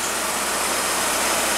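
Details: VW Santana with AP engine after service (new fuel and air filters, NGK plug leads, injectors and throttle body cleaned): smooth, even idle with a steady hiss, no misses, knocks or surging; normal idle.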